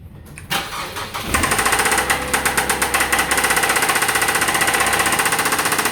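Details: 2008 Mazda 6 engine starts and settles into a loud, fast, even pulsing clatter, roughly four beats a second at idle; loud engine noise, cause unknown.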